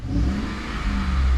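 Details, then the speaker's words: 2014 Ford F-150 5.0 Coyote V8 after replacing a torn coil pack that caused cylinder 3 misfires: smooth rise under light throttle, steady low rumble, scan tool showing no misfires on any cylinder. "Listen to that. Look. No misfires, man. So with that, it was the coil pack."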